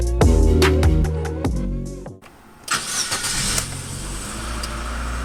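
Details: 2007 Chevy Aveo start: it cranks and catches, idles high, then idles rough and uneven. Scan codes P2106, P2110, P2135, P0172, P2188, P0106 and P161B were stored.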